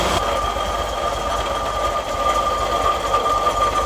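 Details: MGB GT engine idling evenly and steadily with no stumbling or hunting after ignition timing and twin-carb tuning; cylinders showing even-ish blue, previously stalled when pulling away.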